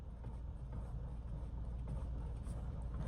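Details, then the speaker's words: BMW X3 after steering rack repair, engine running while the wheel is worked hard side to side: steady low rumble with no clunks or knocks; the rack that previously rattled and clunked on turns and bumps is now quiet. "解决了问题。我们来看一下有没有啊，一点声音都没有"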